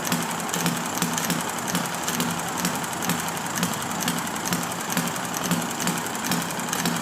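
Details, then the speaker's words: Enjomor model engine with original brown piston O-ring, running after flooded hard start on a humid day, about 1 1/4 turns, filled with water; even quick chuffing about two beats per second, no misses; normal running. "And it should run happily like that for a while."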